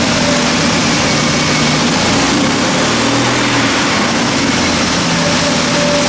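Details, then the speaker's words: Triumph TR6 after changing to performance spark plug leads and coil starts fine but idles with an uneven, stumbling beat, missing on one cylinder; owner hopes it isn't the timing chain work. "It starts alright, but it definitely sounds like it's missing on one of them."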